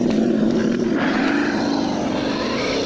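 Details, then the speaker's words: Losi Baja Rey RC truck, stock motor and ESC on 2S LiPo: a steady, fairly high screech under throttle from gravel jammed in the rear drive cup. It must be cleared or it will damage the cup, slow the car and overheat the drivetrain. "Yeah, that screechy noise is coming from all the gravel and you need to clear that out, if not you'll damage the drive cup."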